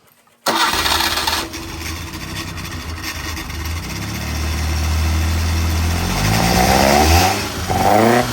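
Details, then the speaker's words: Freshly built Davies 1040 dry-liner engine (74mm bore, mild R17 cam, no block strengthening kit, road-intended). Fire-up catches instantly, settles to a smooth even idle just under 1,000 rpm, then a couple of clean blips; healthy. "Good idle. Just under 1,000 RPM."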